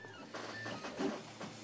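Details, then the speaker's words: Prusa i3 3D printer, Y-axis stepper motor current turned up to push through nozzle crashes on overhangs: loud, buzzy motor whine and vibration on each move; loud stepper from high driver current. "the Y motor I turned up because of the head crashing issue I wanted it to at least not interfere with the movement of the W so give a little bit of extra volume and vibration"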